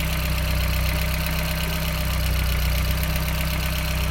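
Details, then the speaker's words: VW Corrado 1.8T, first start after winter, coolant low and possibly air trapped in system: steady low drone with a faint uneven pulse about four per second, settling down; rough idle improving as it runs. "Sounds like it's gonna die. Oh, it's taking quite a lot. Sounds like it's getting better though."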